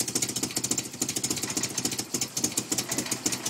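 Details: 1990 Nissan 240SX with KA24E engine: fast uneven popping and ticking over a lumpy idle that won't settle, misfiring constantly; cause not yet found.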